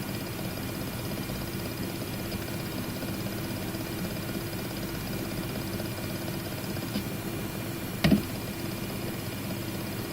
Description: It is my 3rd WD My Book WD 8TB drive, I shipped it 2 times to RMA replace and they all make the same rattling noise in IDLE it is similar to pneumatic hammer, starts from 0:58 on the movie, increase volume to hear it.